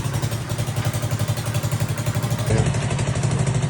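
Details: Vento motorcycle that would not start, after valve clearance adjusted with feeler gauge: single cylinder thumping evenly at fast idle, about four pulses a second, steady with no ticking; runs normally.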